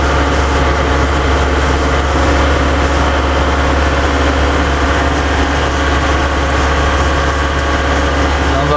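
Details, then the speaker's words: Diesel '140' revved after an oil and fuel filter change, given a minute for fuel to run through (the first filter change needed priming before it would start): a deep steady rumble holding an even idle without misses. Running healthy. "everything's going to be pretty good so I'm going to go up here and clean up everything and uh check the oil"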